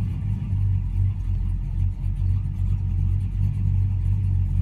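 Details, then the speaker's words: 1979 El Camino, 383 stroker V8, Hooker headers, Edelbrock high-rise manifold, TH400: after warm-up and releasing the gas, deep lumpy big-cam rumble loping steadily without stumbling, idling by itself; normal idle. "So there we have it. It is idling by itself."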